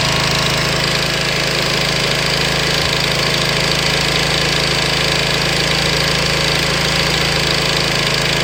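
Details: Honda VT250 Spada engine, cold, around 3000 rpm: steady fast rattling about four per second over a busy engine note; abnormal mechanical noise that disappears once warmed up, cause unknown.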